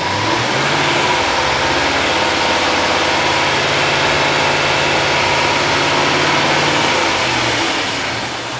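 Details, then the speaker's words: 2011 Range Rover engine held at raised revs under electrical load (high beams on) during an alternator load test; steady, smooth, even note with no knocks, rattles or squeals, easing off at the end; alternator and battery tested good. "rev Engine with loads on it I'm going to do it a little longer this time"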